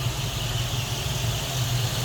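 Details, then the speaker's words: Stock 1979 Ford Thunderbird, 40,000 original miles, two owners, idling: low, smooth, even rumble with no knocks or ticks; normal idle. "Just kind of what you'd expect out of a stock 79 Thunderbird. Nothing crazy. Not blowing any smoke or anything loud and obnoxious coming out of there."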